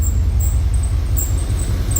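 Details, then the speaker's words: OBS truck A/C after swapping back to old controller: heavy engine rumble with high squeal chirping on and off as compressor engages and high side exceeds 450 PSI; belt slipping, owner suspects controller plus system blockage. "It's not doing the weird light up with the arrows and stuff like the other one was, but it's still overpressurizing the system. As you can hear, it just started slipping the belt."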